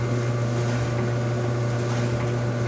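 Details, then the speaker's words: GE gas dryer after replacing the gas valves for a no-heat fault, test run with the top off: a steady low hum with a constant motor tone and an even drum whirr, no thumps or scraping, spinning smoothly. "good nice and smooth"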